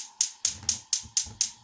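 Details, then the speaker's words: Gas hob: sharp, dry igniter clicks about four per second, non-stop. Possible causes: spilled liquid in the knob/valve area shorting the wet igniter, or grease buildup on the ignition switch contacts. Suspected, not confirmed. "bununla alakalı olarak ıslak tansan Aklı Kısa devre olabilir ve sürekli bu şekilde çak çak ses gelebilir yani şu"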